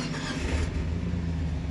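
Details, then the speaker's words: Jeep with engine installed last summer, new spark plugs, misfire code stored: low, uneven lumpy idle; running rough, owner suspects coil rail. "yeah, you can definitely hear it. So she's running rough today, and I honestly don't know what to do, but I think it might be the coil rail, because this doesn't have spark plug wires, it has a coil rail."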